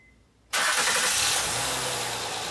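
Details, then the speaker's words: 2011 Honda Pilot 3.5L after timing belt and water pump replacement: quick clean start, then smooth steady idle; the growling under-hood noise heard before the repair is gone. "all right guys so as you can hear the engine is running the engine sounds good so we're good to go there's no more noise"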